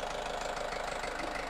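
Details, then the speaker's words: Nissan X-Trail T30 with a long-crank no-start, now running after carbon-crusted spark plugs were found despite recent replacement: engine idles with an uneven, rough, gritty beat; the cause of the rough idle is still to be investigated. "Nah jadi sekarang ini sudah bisa hidup untuk mesinnya suaranya kasar seperti itu ya"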